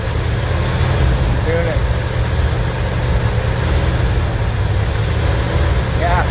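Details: Van V8 under renovation running for the first time: deep, steady idle with no lifter tick showing through, keeps running on its own.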